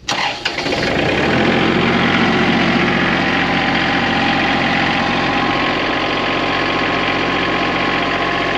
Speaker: can't beat these little Kubota tractors.